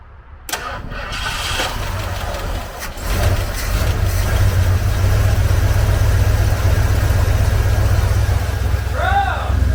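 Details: Ford Bronco sitting roughly 14–15 years since 2009, first start at base timing with distributor advance unhooked: turns over briefly, catches within a second, settles into steady, deep, even idle without misses or backfires; normal start and idle.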